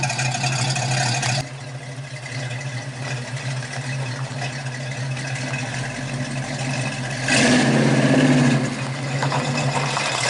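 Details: 1969 Mustang coupe V8 with newly fitted dual exhaust: even, muted burble at idle with a smooth rev blip near the end, much quieter than before, no leaks; healthy exhaust.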